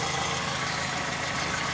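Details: Toyota 2ZZ engine after timing chain cover gasket replacement, tensioner installed, fresh oil and priming: even, steady idle, smooth constant hum, no knocks, ticks or surging; running healthily after repair.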